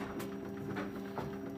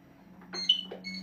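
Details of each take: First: NxStage home dialysis machine unplugged and wheeled on its stand to another room: short burst of even mid-pitched beeps over rolling noise, the power-outage alarm triggered by unplugging, not an actual outage. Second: NxStage home hemodialysis machine: over a steady low hum, a single short high beep sounds as the red sensor is switched on and its red light comes on; normal power-on beep.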